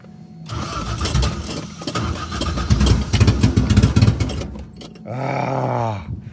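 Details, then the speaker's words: 1975 Toyota Corolla KE35 with a 4AGE after a head gasket and engine rebuild, idle screw already well out: uneven cranking, then it briefly fires and revs before dying; the engine will not stay running. "But I think I think this might be where Oh, it's it it wants to It's close. [Music] It does want"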